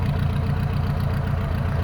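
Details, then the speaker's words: Engine with 44 IDF carburetors after fuel float adjustment equalizing fuel bowls, previously lumpy on one side when cold; even steady low idle with no misses, very smooth, normal idle. "okay so first impression uh it it it's very smooth but then again it was always kind of smooth so"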